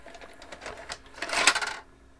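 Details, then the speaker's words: JVC HR-A592U VHS VCR with load/eject fault: short whirring and rapid small clicks ending abruptly as the loading mechanism cycles with no tape inside; a tape-present sensor, possibly infrared, suspected faulty. "got it however still trying to load the tape that I'm holding in my hand right now"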